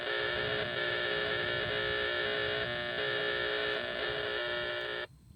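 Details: Stock van AM radio at 600 kHz near park: harsh raspy buzz with rapid pulsing edge, steady until cut off; power line RFI traced to a power pole with a bad lightning arrester, gone after utility repair.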